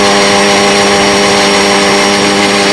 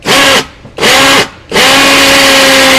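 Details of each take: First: Cordless drill (Makita-battery type) drilling concrete on its slow speed of two: steady, fairly low hum under load then dropping off as the bit stops; drill labouring on the slow setting. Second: Cordless drill (Makita-battery type) on its fast speed setting: three bursts of strong, even high-pitched motor whine, the last held steady; running strongly and normally.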